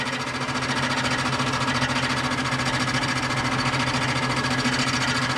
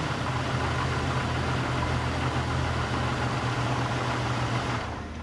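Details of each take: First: Barn-find 1998 Jeep Cherokee XJ, first run on a different battery: harsh metallic clatter at three or four hits a second over the idle, though it has oil pressure; a bent bell housing cover is striking rotating parts. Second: Barn-find 1998 Jeep Cherokee XJ with torque converter unbolted and bell housing cover removed: steady, even low idle drone with no clunks or knocks, then a smooth fade; engine good, transmission unknown. Normal idle.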